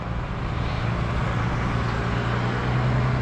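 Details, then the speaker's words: 1941 Lincoln Continental, flathead V12, 3-speed manual with overdrive, just started cold on fast idle in humid weather: smooth, fast idle with a low steady hum, no misses or knocks; engine settling and cleaning up. "you can hear it starting to clean up"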